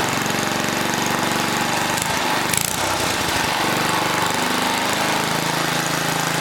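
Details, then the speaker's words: 1980 rototiller, small single-cylinder engine started with manual choke, rapid putter sagging and recovering mid-clip; won't hold steady speed, something wrong with the throttle linkage. "something wrong with this throttle link i'm gonna move this handle up"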